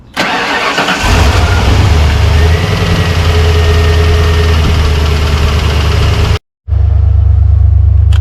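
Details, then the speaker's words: 1995 Ford Bronco idling with AC on during R134a recharge: low note shifts every second or two as compressor clutch cycles in and out; attributed to high pressure cutoff, with clogged orifice tube. "all right so as you can hear the clutch on the air conditioner is cycling so it goes for a little bit stop stop goes for a little bit stops"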